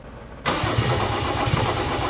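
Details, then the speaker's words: Mercedes OM606 diesel with Ofgear pump control, battery being charged from a VW Polo: starter engages abruptly then cranks briskly and evenly with steady low thumping, not firing yet; cranking speed restored. "No vot, kus on pööre alles."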